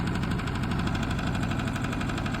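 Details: RVMP 4000 generator being diagnosed for overload and rough idle, pull-started: a rough, uneven beat with a steady low knocking running through it, the unit laboring. Internal failure is suspected but not confirmed.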